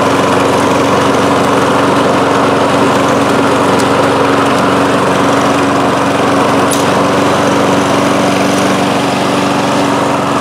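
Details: Toro Recycler mower, Kohler engine, after swapping in the main jet from an aftermarket carburettor: holds one steady speed throughout, no rise and fall or hunting as before; smooth running.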